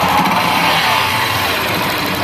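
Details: Honda Bros 150 motorcycle after repair of an engine noise, running: steady, even engine note with no misses, knocks or rattles; running cleanly.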